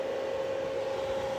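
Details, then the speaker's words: 1 kW 24 V solar inverter under repair for error 09, charging at about 30 A with a roughly 1.2 kW load: fans flat out, steady rushing air with an unwavering mid-pitched hum; normal full-speed cooling, inverter working. "ну дмух котить конечно Ну нічого хай працює"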